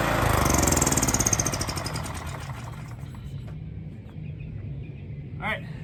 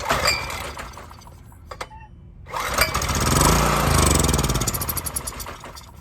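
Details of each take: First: Honda EX1000 generator, test run at half choke without air filter or cover: settles from loud start into steady, even beat with no misses; running normally. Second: Honda EX1000 generator, choked, pulled with carb cleaner as starting fluid after old gas: catches and revs about three seconds then fades out; fuel starvation from clogged carburetor main jet.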